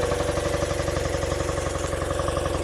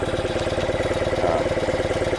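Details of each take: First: 1976 BMW R90S 900cc boxer twin, stone cold, fired first try: settles into an even, steady putter with firm regular beat and no knocks; healthy cold idle. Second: 1976 BMW R90S 900cc boxer twin with cleaned Dell'Orto carbs (accelerator pumps in slides), during carb sync at raised idle: uneven, lopsided beat between cylinders; one side drawing more air, slide higher, carburetors out of balance.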